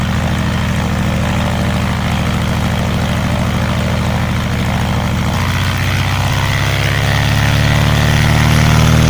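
Steady, even propeller drone with a clean step up in pitch and loudness as power comes on; the engine runs smooth and healthy.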